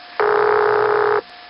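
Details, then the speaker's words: Cabot, Vermont (Continental Telephone 802-563) exchange, early-1970s recording of the original tone plant: single steady buzzy ringback tone about one second over faint line hiss; normal, unlike its 1975 sound. "The original Cabot tone plant rang like this."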